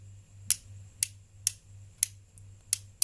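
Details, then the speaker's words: Refrigerator defrost timer type 14 turned left to its first, smaller click, the defrost position at pin 2: crisp light clicks about twice a second. "Anda putar arah ke kiri sampai berbunyi suara klik yang pertama, yang suaranya lebih kecil."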